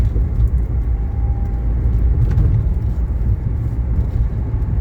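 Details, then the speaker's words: 1980 Mercedes 300SD (W116) diesel, warm, AC on, driving after a fresh valve adjustment: low, steady drone under road rumble with no knocks or misses; running smoothly. "oh this runs it's running so good with the fresh valve adjustment"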